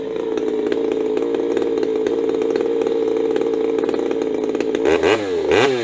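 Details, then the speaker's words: Warm Ironhorse 372 chainsaw, coil with no rev limit, cracked wide open to hear peak RPM: steady, high, even scream, then drops and blips a few times; healthy, judged not bad. "Okay, so you heard that, right? Where it, that's not bad, eh?"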